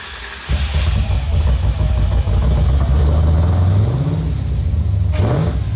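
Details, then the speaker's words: Nissan 350Z with swapped supercharged Hellcat V8, first start after reassembly with a sensor fitted; deep, even burble climbing cleanly on two throttle blips with no knocks or ticks, healthy. "y al fin poder escuchar rugir este motor como se debe aunque sea solo por unos segundos"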